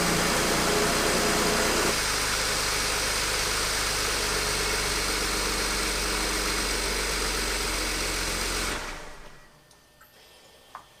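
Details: Newly rebuilt BMW N54 twin-turbo six in an E93 335i on its first start, coolant bled and battery charged: catches and settles into a steady, even idle with a smooth hum, then shuts off cleanly. Smoke seen is thought to be leftover coolant spill.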